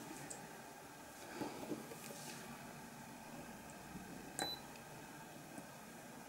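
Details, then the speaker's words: Spot welder attaching 0.15 mm nickel strip connection tabs to an 18650 Li-ion pack (Molicel P28A): a few soft beeps as it detects continuity, then sharp snapping pulses at the set setting; normal spot welder beep and pulse. "literally it's looking for a continuity to and then it puts out the pulse that you set"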